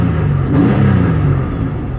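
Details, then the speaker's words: Pontiac Aztek AWD, newly bought project that sat unwashed for years, cold start with possibly old fuel: low, throaty revs rising and falling unevenly with no clean pull. Rough, unhappy running; cause unclear. "the cold don't even matter you can can't hurt the Aztec doesn't sound happy about that"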